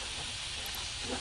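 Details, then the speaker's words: Porsche 911 Turbo 996 during an intercooler upgrade, under a boost leak test pressurized to about 15 psi; constant sharp hiss of escaping air; leak found at the upper intercooler hose. "Oh, I hear one already at 15."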